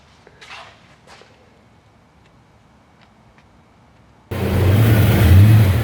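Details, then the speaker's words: The engine comes in with a strong, smooth, even rev with no knocks or rattles; normal engine revving. "wow well darn sounds good"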